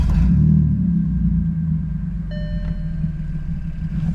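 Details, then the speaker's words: Cheap Audi S4 straight-piped from cats to rear with only rear silencers, first start after fitting modified exhaust: deep steady idle rumble with faint puffing tick about four per second; exhaust leak, suspected from a poorly clamping clamp. "So, it sounds like it's leaking. It's leaking by the sounds of it. And I think it's from this dodgy clamp here."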